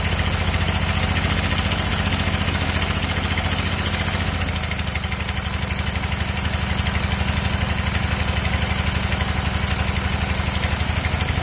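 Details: Engine chugs steadily at about 143 beats a minute with a hollow, flat low drone and little punch, consistent with low compression.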